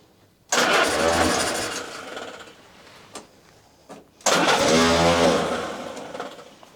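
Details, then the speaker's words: WWII Willys Jeep cranked on full choke right after a carburetor replacement: two cranking bursts of about three seconds each, neither catching nor settling into a run. Cranks but does not start yet. "so I'm going to turn her over and see if she'll fire up we're going to go with full choke and see what happens"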